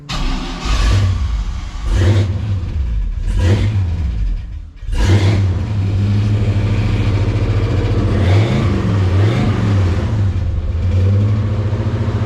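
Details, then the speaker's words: Stock junkyard 5.3 LS V8 from a 2000 Silverado in a 1971 C10, first start with HP Tuners stock tune, no coolant: catches, blips, then steady idle without heavy knocking, only a couple of clatters, possibly loose parts; running okay. "she was running okay didn't make any huge noises there's kind of a couple of clatters"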